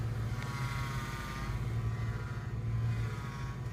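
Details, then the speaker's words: 2002 Ford Mustang 3.8L V6, 5-speed, idling while steering wheel is turned: thin, steady high whine over the engine that swells with steering; owner unsure if steering pump, alternator or normal engine sound. "I mean, you hear that whine. I don't know if that's the steering pump or the alternator or just the way the actual engine sounds."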